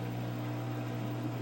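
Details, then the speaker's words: LG washing machine after rotor replacement: even low steady hum, no rattles or loose rear-screw ticking; normal spin, fixed. "Now you see it's working. You don't hear no noise. I don't hear the screw in the back coming loose, and I think we fixed it."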